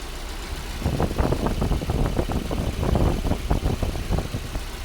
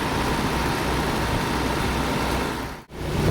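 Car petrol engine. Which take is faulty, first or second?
second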